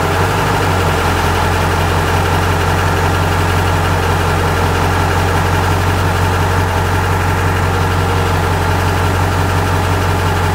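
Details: Truck engine at idle with an uneven low rumble and a faint, irregular knock riding on it; a weird engine noise of unclear cause.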